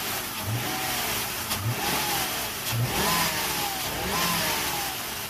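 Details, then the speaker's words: 2000 Lincoln Town Car 4.6 V8 after fixing a #8 cylinder misfire with a used part; engine revs up cleanly and drops back with an even exhaust note, no stumble, firing on all cylinders. "Sounds like it's hitting on all right."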